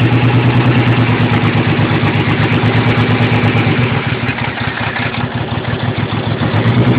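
Lumpy, uneven idle with irregular thumps and dropouts in the exhaust beat; several cylinders cutting out from failing injectors or poor injector connections.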